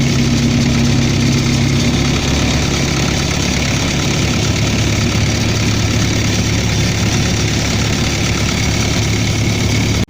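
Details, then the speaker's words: Reefer unit diesel engine at steady idle with a faint regular knock under the running sound; new knock, source not yet identified, no fault codes, only service due. "Какой-то стук пошел у меня на рефе двигателя. Не знаю, слышно, нет. Ошибок нет."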